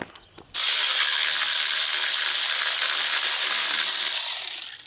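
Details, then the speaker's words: Removed water pump from a 2006 GMC Envoy spun by hand, no engine running: dry gritty rasp throughout from a worn-out bearing, being replaced along with the alternator. "and to show you how bad it is it's pretty bad well I'm glad I'm changing it out so just for good measure I suppose make any noise hear that I don't think it's supposed to do that"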